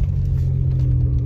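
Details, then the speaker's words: VW Passat rolling slowly over cobbles with the mic in the cabin: low steady tyre rumble with no clunks or knocks; suspension joints sound tight, no dead ball joint indicated. "et tu avances tout doucement puis tu vas entendre dans l'habitacle si tu entends des claquements ce qui est pas le cas là"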